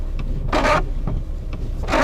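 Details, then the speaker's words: VW T4 left windshield wiper squeaking in short squealing bursts each sweep despite new Bosch blades. "вот этот левый дворник правый низ скрипит скрипит левый дворник сейчас покажу в чем суть"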